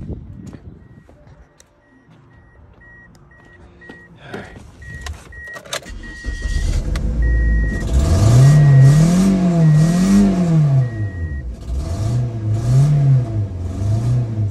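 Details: Toyota Matrix that keeps cutting off and has no power: engine catches and idles with an uneven, lumpy skip; no spark on one cylinder, running on three cylinders.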